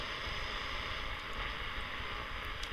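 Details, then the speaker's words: Early-1970s Portuguese-made Grundig Transistor 305 radio after freeing a seized tuner, on a PP3 battery; AM plays with steady hiss and rough buzzing crackle from studio lights, which goes away when lights are turned off; AM interference from studio lighting. "am seems to be working but it's a bit noisy with my studio lights turned on has paid the same if I quickly turn them off you'll notice the interference goes away"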